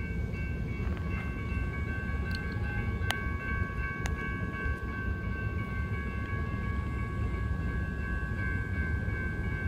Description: It stopped after several squeaking and clanging noises were heard.